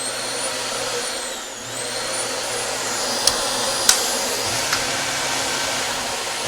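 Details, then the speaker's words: Dyson DC25 ball vacuum after power switch replacement, reassembled and tested: steady high motor whine with smooth, even airflow rush and a brief dip in pitch; running normally. "working fine and that's how you replace a switch"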